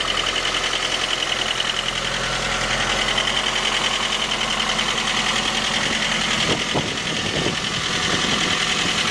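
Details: 2010 J20A engine at cold idle: a steady hard knock, about three and a half per second, tracking engine speed. It appeared at 10,000 km, dealer checks found nothing, and it grew after oil changes. Cause was a scored crankshaft journal on cylinder 3.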